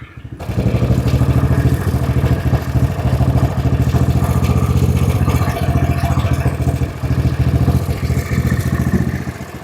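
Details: Honda-engined side-by-side ATV, previously running rough, idling steadily and smoothly after the mixture screw was leaned out from rich and the idle speed was raised; engine has a governor.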